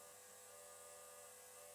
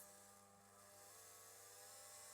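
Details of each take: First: KTM RC 390 project fuel pump controlled by a MaxxECU, pressure regulator holding about 48–50 PSI on ethanol blend fuel: faint, steady high whir at an even pitch with no surging or stutter; the pump is running normally. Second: KTM RC 390 build, electric fuel pump rated 120 PSI, driven by the MaxxECU through a pressure regulator, reading 280 PSI: a thin steady whine rising in pitch as it labours against excessive pressure; a fuel leak follows from the overflow.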